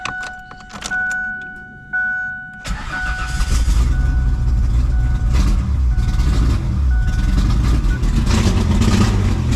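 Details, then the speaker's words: Ford Explorer (one of a 2000 and a 1995), started after oil priming and work on an oil leak: a few catches, then a lumpy, surging idle that struggles to stay running; it runs very poorly. "well it's technically running it's running very poorly seem to want to idle come on now"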